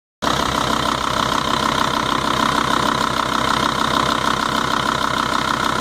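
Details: Volvo/Audi 2.5 TDI diesel idling steadily with a light, regular tick, about three a second, over the diesel clatter; cause unknown to the owner.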